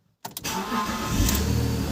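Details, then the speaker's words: BMW E46 that previously wouldn't crank, after the starter was dismantled and cleaned of gummed brush residue: a couple of quick turns, then it catches cleanly and settles to a steady idle. "ha chodzi jak złoto no i będzie żył Wystarczyło go wyczyścić"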